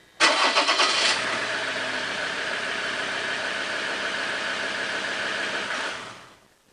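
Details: Mazda BT-50 diesel started after fuel filter replacement and priming: it catches quickly after a brief crank and settles straight into a steady, even idle with no misfire or stumble. No leaks were found, and it is healthy.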